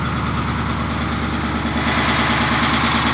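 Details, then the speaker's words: 1981 International Harvester diesel plow truck, long-stored, first drive: loud, heavy, strained drone at about three beats per second, smoke from exhaust; feels locked up, owner suspects brakes dragging; also overheating and leaking fuel; cause unconfirmed. "it feels like it's like locked up or something I don't know what's going on"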